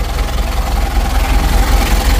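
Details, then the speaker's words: Rebuilt 2000 Mitsubishi L300 diesel warming up; cranks a little longer but idles steadily and evenly with no dry clatter or missed beats; normal diesel idle. "jauh beda suaranya ketimbang awalnya ya Kalau awalnya itu kering suaranya"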